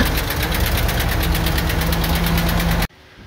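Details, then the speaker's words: 2015 Ford F-250 6.2L gasoline V8 at 169,000 miles, with oil pressure: rough idle with uneven rhythmic knocking and swishing misfire; a dropped intake valve was suspected, the cause was a broken valve spring. "it really does that that kind of swishing sound kind of reminds me of maybe like it uh might have dropped an intake valve"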